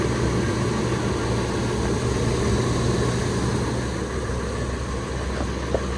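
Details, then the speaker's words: Ford F-250/350 Triton V10 idling on first start after new exhaust manifold gaskets, studs and Y-pipe cured the manifold leaks: steady low rumble, the fan airflow louder than the engine, no ticking or puffing; exhaust sealed. "She is ready to be fired up for the first time since exhaust leaks. Like you hear the fan spool up more than the truck. You just hear a bunch of air."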